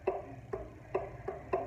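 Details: Arno fan that makes noise when lowered: crisp clicks about twice a second as the shaft is rocked forward and back. Excessive end play, suspected to come from a worn or wearing front bushing.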